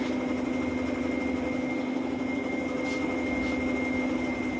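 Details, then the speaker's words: Large dual-EDF drone prototype at 48 V (75 V design) idling: steady high electric whine with light regular tapping about four times a second from one motor; owner concerned about 3 mm shaft set screws; knocking, cause unconfirmed. "You can hear now that knocking. That's going to be one of these motors. That's going to be one of the motors."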